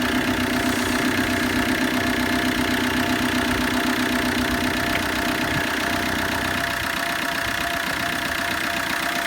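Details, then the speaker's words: Diesel combo van, former non-runner, after injector seal replacement: even idle with a steady light clatter about four beats a second, no chuffing, no smoke, noisy belt noted; normal idle. "That sounds perfect. Smooth. We've got no smoke either."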